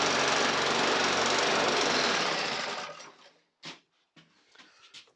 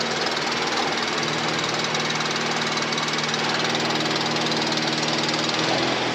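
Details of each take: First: Briggs and Stratton 450E lawnmower engine, now running after not running before; speed surges up and down rhythmically then cuts out; still hunting, carburetor blamed and to come off again. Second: Briggs & Stratton 450E mower after full service (previously started then cut out after seconds; stood a few years, old fuel in tank), even tickover settling and smoothing as it burns through to fresh fuel; healthy idle.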